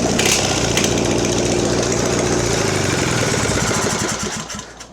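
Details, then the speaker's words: Mastercraft (MTD) 46" riding mower, Briggs twin, fed by fuel pump: rough uneven idle falters and fades out instead of picking up on throttle; owner suspects fuel starvation, likely plugged main jet. "I'm pretty sure it's starving for fuel. It's not pumping very much. As soon as I try to give it some throttle, it's dying."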